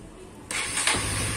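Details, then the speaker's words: Honda CB150R fuel-injected motorcycle after its coil was replaced with a Vario 125 coil: short starter whir, then a clean catch and a steady idle. Before the repair it started hard, idled unevenly and died on throttle. "Alhamdulillah ya Allah sempurna teman ternyata koilnya ini stasioner anteng"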